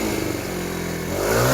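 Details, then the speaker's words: TaoTao 50cc Chinese scooter, after a carburetor replacement and some smoke from burning off old residue: the engine picks up cleanly from idle into a rising rev without stumbling or bogging; not perfect, but it runs smooth. "no bogging down anymore I uh I think I think we did it"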